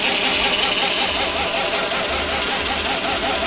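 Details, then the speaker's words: Reeder 2"x72" belt grinder with 2 hp Hallmark AC motor on KBAC 27D VFD, motor not yet mounted: motor whirrs with a rhythmic wobble about 2.5 times a second at low speed; excessive vibration and bouncing, owner unsure if it is the motor. "I don't I don't think that bouncing is uh gonna be acceptable it too much vibration"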